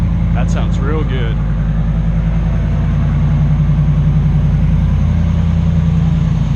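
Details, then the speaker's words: 2009-2015 Ram truck V8 with factory dual exhaust, after bolt-on Carven muffler replacement: steady low even idle burble about 3.5 pulses a second, no puffing or ticking; no air leaks found, sounds good. "So again, that's the install for the Carven 2009 to 2016 Ram kit for the dual exhaust factory option. That's it. Sounds pretty good."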